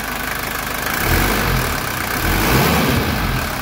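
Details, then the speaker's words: 1982 Mercedes 240D diesel after valve adjustment, throttle linkage adjustment, new return lines, no leaks from valve cover gasket or injector lines: steady even diesel clatter at idle, no misses or knocks. Normal diesel idle. "we've got good idle the valve's adjusted and the valve cover gasket not leaking and throttle linkage adjusted"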